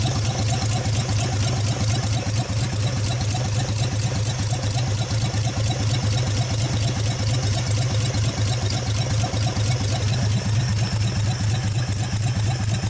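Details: 1948 Nash engine after first start, carburetor rebuilt, no exhaust pipe, water hose flushing cooling system, warming up; steady even low chug at fast idle, no misses or knocks, running healthy.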